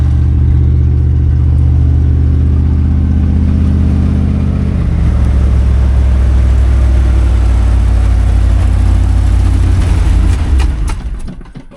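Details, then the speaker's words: Old Dodge 4x4 one-ton crew cab pickup idling: rough low rumble with a fast, uneven slapping as the cooling fan hits something unidentified, before shutdown; fan striking an object. "Is that the fan making that noise? Yeah, the fan is hitting something. I don't know what it's hitting."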